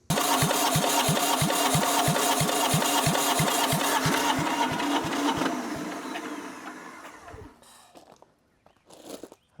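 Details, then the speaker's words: Abandoned diesel compactor, sat for years; slow steady cranking at about three compression thumps a second, winding down without firing. Fuel flows to the pump but none comes out of it. The owner suspects the pump is clogged: no fuel delivery. "No fuel coming out of the pump. Interesting. I don't know how that works 100%."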